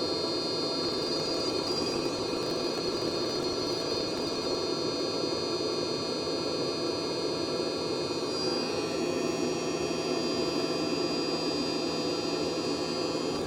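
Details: Hcalory 12V 5kW water hydronic diesel/petrol heater on a test bench, water heating past 40–70 °C toward the 78–80 °C shutoff: even steady roaring rush with a faint high whir; burner running normally.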